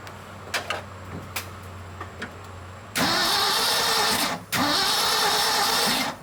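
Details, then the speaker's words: 1976 Ford F-600, first start attempt in over 10 years, distributor cap off chasing a spark issue: two bursts of even starter cranking after clicks, no firing; no spark reaching the plugs, cause unconfirmed, plug possibly bad. "it's not even acting like it wants to send spark to the plugs unless that plug is just bad"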